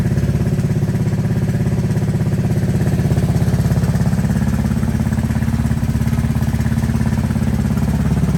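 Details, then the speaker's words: 1984 Honda ATC 200S three-wheeler with new carburetor, no air filter fitted: single-cylinder putter about three pops a second, fairly even steady low idle with some clatter; engine running. "I want to start it up and make sure she's running with this new carburetor"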